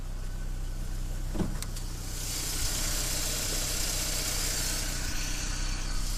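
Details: BMW E46 318i 118hp cold start: fast, light clattering tick over cold idle, sometimes stops and returns after revving; cause was the hydraulic lifters, replaced and now starts like new.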